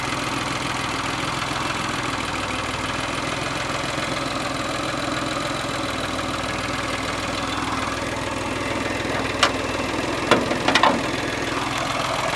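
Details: Geo car that stalls when throttle released and bogs as if on one cylinder, restarted: settles into lumpy uneven idle with steady low rumble and a few sharp clicks; roughness remains, cause not determined.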